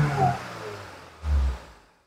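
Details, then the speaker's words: Kembara VVT with a K3 engine, with black smoke and hesitation but no check-engine light, after a coil replacement and exhaust cleaning. The engine note sags, surges once, then dies away to silence. A hunting, stalling rough idle. "Ya, sini RPM tidak stabil, nampak dia goyang-goyang ya. Engine pun tidak stabil."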